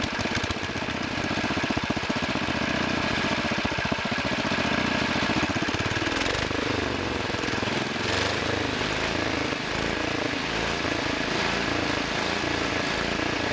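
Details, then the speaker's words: 1963 Wheel Horse 7763 with two 7 hp engines running: the front engine surges up and down instead of holding revs; hunting from main needle maladjustment. "front engine is hunting it can't decide where it needs to be the main needle needs some more Justin"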